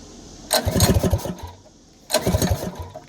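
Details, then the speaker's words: Go-kart small engine restart needing throttle, with heavy kickback: two short harsh clattering bursts as it tries to catch, then drops off each time; owner unsure, wonders if it was trying to engage the clutch. "Is it trying to engage the clutch? Well, I'm hoping it was. Because that sounded horrible. I've never heard an engine make that noise before."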